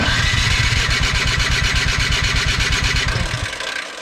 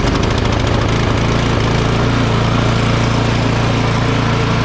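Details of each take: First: Craftsman 24 in electric-start snow blower, long sitting: steady cranking that never catches; spark confirmed with tester, so fuel problem, clogged carburetor. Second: Craftsman 24-inch electric-start snow blower that had sat unused and would not start due to a clogged carburetor. After the fix, it starts without choke and the small single-cylinder engine runs steady and even, with no sputter or surging. Normal running.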